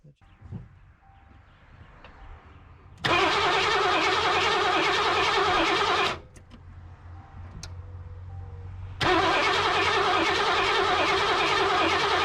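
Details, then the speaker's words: 1988 Mercury Cougar (Foxbody) cranks steadily in two ~3 s bursts but never fires on its own fuel system after tank cleaning; 40 psi fuel pressure, spark present, no EEC-IV codes, starts on starting fluid, so injectors suspected. "if the engine starts with starting fluid we must not be getting fuel and the only part of the fuel system that I haven't touched is the fuel injectors"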